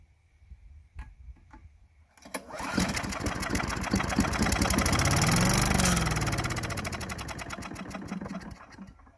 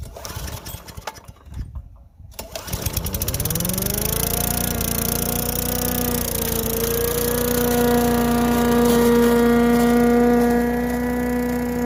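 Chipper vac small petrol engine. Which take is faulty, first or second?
first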